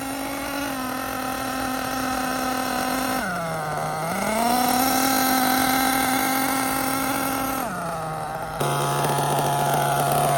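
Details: Losi LST nitro RC truck, first run running rich: buzzy engine holds pitch, then revs dip and recover unevenly as drive slips under throttle; owner suspects transmission.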